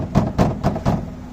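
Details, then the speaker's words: Renault Kwid 1.0 in for door damping against body noise and vibration. Sharp knocks on the door panel, each trailed by a dull loose rattle from inside the door; something loose inside, later traced to the door rubber. "से गड़गड़ाहट आवाज आ रही है, यह मेरा मतलब अंदर से है। बहुत कुछ बदल रहा है।"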